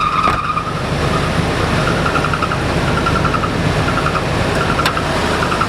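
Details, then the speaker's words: 2000 Nissan Frontier engine running with a really bad accessory belt squeak: a high, thin squeal comes and goes in bursts, a loose belt slipping on its pulley; tightening the belts is the planned fix. "as you can hear and have a really bad squeak to it so I need to figure out what's causing that sweet"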